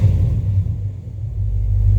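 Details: High-mileage flatbed truck after a replacement 5.9 Magnum V8 swap, fixing an idle issue: rpm is held, then released. The engine dips and settles back to a steady idle without hunting or stalling. Idle return now normal.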